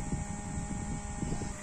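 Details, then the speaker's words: Yamaha X-Ride separate LED headlight cooling fan after years of use: a thin steady whine over a rough, uneven rumble, growing louder and harsher from a dry bearing lacking lubrication. "Otomatis itu udah ada masalah di bagian kipas yang kurang pelumasan. Tuh, suara kipasnya berubah ya. Jadi kayak gini nih, makin kasar."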